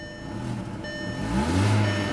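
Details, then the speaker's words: 2007 Volkswagen City Golf, 5-speed manual, 129,000 km, startup: catches and settles into a raspy low rumble with a faint puffing edge; an exhaust leak underneath is suspected, ABS light on. "Fire it up. I think there's an exhaust leak on this one."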